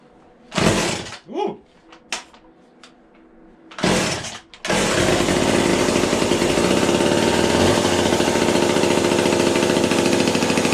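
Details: Vintage McCulloch chainsaw with a new bar and chain, started although both the manual and automatic oilers are not working: a few pulls and sputters, then it catches and holds a steady, even buzzing run with no misses; the engine runs fine.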